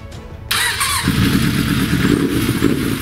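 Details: 1986 Suzuki GSX-R 750 donor engine, test start after stripping, airbox fitted: cranks briefly then catches into a steady, even four-cylinder idle with no knocks or misses; normal start.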